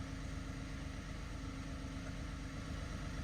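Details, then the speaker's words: Peugeot 107 automatic small petrol engine, 23,500 miles, only 1,000 in the last year, idling after ignition barrel work, service still due: steady, even low burble about two pulses a second, no knocks or misses; normal idle. "looks like in this case it is absolutely paid off cuz that is ticking over lovely"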